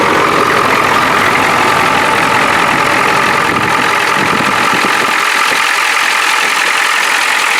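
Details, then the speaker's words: 1993 Ford F-250 7.3 IDI non-turbo diesel, 242,824 miles, with a makeshift modified muffler: clatter rises smoothly on a partial rev, not floored, and settles back with no misses or knocks; healthy. "I don't want to floor it too much, but look at that. beauty."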